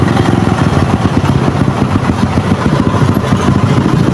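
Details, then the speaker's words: Motorcycle that only revs to 6000 rpm: uneven, lumpy, stumbling idle with stutters. It dies whatever the idle screw adjustment; part replacement is needed, cause undetermined. "Ayan, kahit anong adjust natin sa kanyang minor, mamamatay pa rin, wala siyang minor. Tapos kung umaandar man, pumupugak-pugak pa rin."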